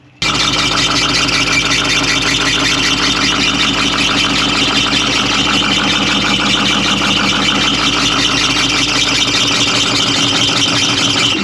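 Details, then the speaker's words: 1981 International Harvester diesel snow plow truck that sat for years: steady idle clatter under a constant high belt squeal because some pulleys, including a pump, aren't turning. Unsure whether the alternator or the pump is locked up. "there are pulleys that are not turning this pump up here was not turning now I don't know if it was because of the alternator being locked up or this pump being locked up"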